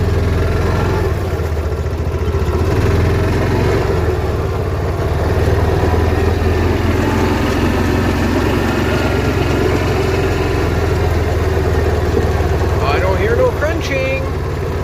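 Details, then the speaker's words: Yamaha Rhino after rear axle replacement with heavy-duty axles (the old ones crunched loudly on left turns): a steady engine drone while turning, with no crunching or clicking from the rear; the axle sounds normal. "i don't hear any crunching on this side so let's flip it around let's try the other side"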